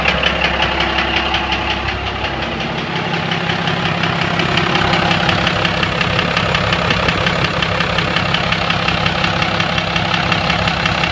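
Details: 1997 Dodge Cummins diesel at idle: a sharp, regular knock of about three per second over clattery diesel noise, which started last week. There is fuel in the oil but no metal shavings, and the lift pump seems good; the owner suspects injector knock, unconfirmed.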